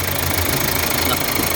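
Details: 2013 Hyundai Santa Fe CRDi diesel, hard-starting from a leaking return-line O-ring, after O-ring replacement: steady idle with light, even clatter, no stumble or misfire; leak gone, sounds healthy.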